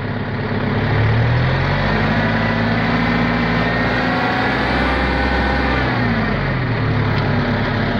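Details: Bobcat 853 skid steer diesel just started after its fuel starvation fix with a new electric fuel pump, running at part throttle and not yet full throttle: steady and even with no misses, knocks or hunting; runs perfectly.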